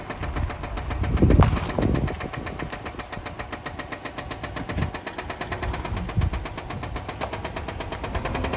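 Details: 2005 Subaru Outback XT on short drive: rapid, steady metallic knock beating over the engine, rod knock.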